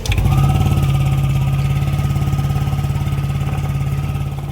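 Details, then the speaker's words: Yamaha NMAX V2 scooter holds a fast, steady idle that never drops after IAC needle checked and a new one fitted; mechanic concludes the ECU software (ISC control) needs repair and fits a manual ISC; high idle. "Kung mapapansin niyo na hindi talaga bumaba ang idle ng motor kaya ang pangalawang option nilagyan ko muna ito ng manual na ISC."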